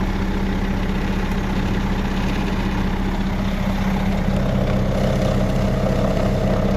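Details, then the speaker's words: 2005 Sterling crane truck diesel, 234,000 miles, after start-up: deep, steady rumble at an even idle with no knocking or misses; normal healthy idle. "The engine sounds good. Gotta let it cycle. And here we go. Starts right up."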